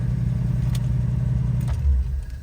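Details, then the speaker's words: 1955 Buick, warm engine, after a carburetor fix for stalling when slowing or turning: catches and settles into a steady, even low idle with no stumble, then is switched off; restarts and runs cleanly, normal restart. "so before the car stalled after a while but right now it's working fine so I'm gonna turn off the car and I'm gonna try it again"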